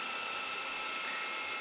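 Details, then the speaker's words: Lite-On DVD/VCR combo, VCR section fast-forwarding a tape at high speed: steady, even whir with two constant whistling tones, no catching or squeal, getting faster toward the end then automatically slowing near the end so the tape doesn't snap; normal fast-forward. "And as the tape reaches the end, you can hear it getting faster and faster. But then you notice when it gets real close to the end, it slows down automatically so that way the tape doesn't snap, which is a very nice feature."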